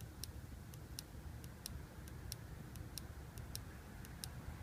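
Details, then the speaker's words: Mitsubishi Lancer Evolution 560cc fuel injector on the bench, seals removed, hooked up alone and pulsed by hand; crisp clicks a couple of times a second over a low hum, a good injector working, unlike two dead ones. "Very audible click through that injector."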